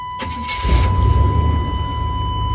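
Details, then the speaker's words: 1992 Chevy C1500, 350 TBI V8, 260,000 miles, after replacing fuel injectors and pressure regulator that caused cold-start surging and stalling; brief crank, catches within a second, settles to smooth steady rumble, no surging; normal start. "So fires up. Runs really smooth now. Doesn't surge anymore."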